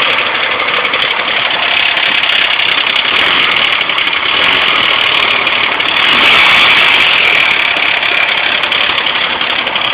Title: 2001 gt misfiring cold start